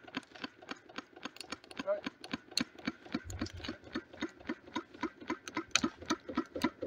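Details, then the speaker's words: Wood-fired rocket-stove Stirling engine generator Mk4, running slowly as the fire runs out: sharp, slightly uneven clonk every turn, about three or four a second, from one side, caused by a bolt left loose. "one point I like to make is there's a loud clonking noise coming from um from this side I'm coming to find out I left the bolt loose so that's what that noise was"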